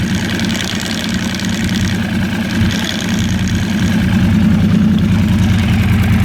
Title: Yamaha R1 rattle noise